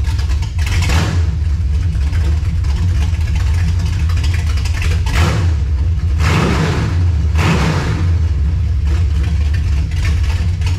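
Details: 1967 Dodge Charger V8 with 727 transmission, restarted after first fire-up: fires and runs with deep even burble, rising cleanly on throttle blips; normal running and revving.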